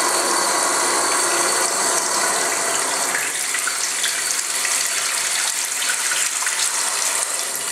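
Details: Newly installed Tres Griferia Cuadro bathroom basin mixer tap: steady water rush with fast uneven rattling chatter on top, tap making noise during flow, cause unresolved by supplier or contractor.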